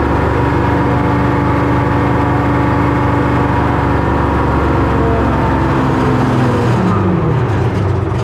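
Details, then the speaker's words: 1970 Hough International H60 payloader, Detroit Diesel 3-71, diesel drone under steady whine bending in pitch as bucket works — hydraulic pump starved by low fluid; bucket lifts and holds, fluid to be added. ">> How do you know you're way low just because of the way it work? just because of the way it's wine and it's and that pump is whining like a [ __ ] >> Okay. >> So, we're going to have to put some hydraulic fluid in it."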